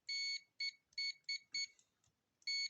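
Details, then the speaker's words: Aneng ST181 digital clamp-on multimeter on the continuity setting: six short, thin, high-pitched beeps as the leads touch. The beeper works, though the speaker is quiet and puny. "so that's what it sounds like not the loudest sounds like the speaker is pretty puny"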